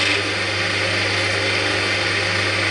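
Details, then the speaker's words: Cormak ZX7045 mill after a head strip and rebuild, running with the bar gently gripped and no real load: a constant whirring motor with a low hum and a bright buzzing whine on top; owner attributes the noise to a transformer issue, unconfirmed. "so that's just some noise that you get from the from the motor as a result of the transformer i mean that's not under any real load that's just me gently gripping the bar"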